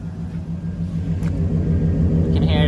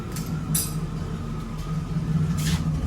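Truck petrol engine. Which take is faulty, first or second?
second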